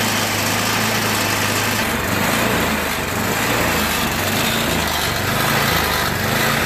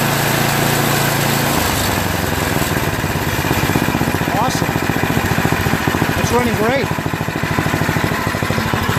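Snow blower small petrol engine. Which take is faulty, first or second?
first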